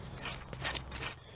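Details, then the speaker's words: Old genuine BMW water pump removed from an E46 330Ci during a cooling system refresh and spun by hand: a gritty, crunchy rasp in uneven bursts from a worn, noisy bearing. "It's got the BMW stamp there and the bearing. It's quite noisy, actually."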